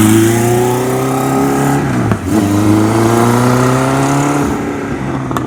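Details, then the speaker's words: 1977 Kawasaki KZ1000A four-cylinder engine, unknown mileage, carburetors just assembled, no smoke: revs cleanly up and down with a light metallic top-end rattle from slack cam chain, possibly worn idler rubbers; runs good otherwise. "Okay, motor seems like it runs good. Got a little bit of cam chain noise to it though. I just want to be aware of that. It would probably run a long time like this, but just a little bit noisy."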